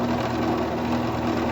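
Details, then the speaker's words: King PDM 30 round-column mill spindle after greasing the splines fixed its loud clunking: a smooth, even whirr at constant speed with no knocks. Surface finish has also improved. "Now, the other thing that's resulting from this grease is that the surface finish is better."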